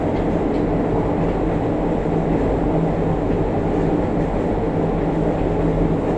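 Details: JR Kyushu 303 series set K01, car 4 MoHa 303-1, recorded directly above the Hakata-end bogie between Shimoyamato and Hatae: heavy rumbling groan with strong vibration, rising and falling with motor speed. Abnormal traction motor noise, cause unknown.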